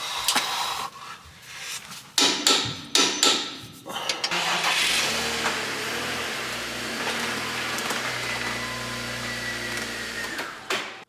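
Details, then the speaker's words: 2006 BMW X5 6-speed manual, 270k miles: rough start-up sequence, then a fairly even, steady idle with no obvious stumble; owner suspects a bad mass airflow sensor, diagnosed by elimination. "It's running now. It's idling. It seems to be idling okay."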